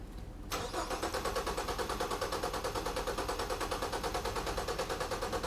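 Steady starter cranking with even, regular compression pulses about three per second, no uneven beats or drops, engine not firing; compression sounds even.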